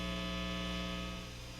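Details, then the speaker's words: Epiphone Les Paul Special with stock Epiphone P90 neck pickup, volume full, clean channel of a Fender Hot Rod Deluxe III, no notes played: steady low 60-cycle mains hum with a buzzy edge, varying as the guitar turns. "now you'll notice before I even strum the guitar you can hear I've got the volume all the way up I'm in the uh the neck position pickup you can hear that's that 60 cycle"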